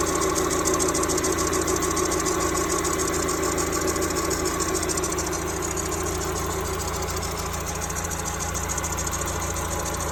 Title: Weird noise in timing belt down to crank area 93 Miata